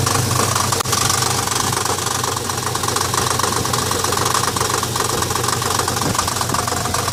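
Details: 1990 Dodge Dakota V6 4x4 makes a rapid, sharp metallic ticking-knock, about four a second, constant at idle in neutral and park. It stops in gear and is faint when coasting. A new starter didn't cure it; front or rear of engine unclear.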